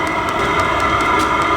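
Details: Vevor diesel heater on first test run after the fuel pump sped up: steady, even roar with a high turbine-like whine and no surging or popping; exhaust hot, temperature climbing past 235°. Normal running.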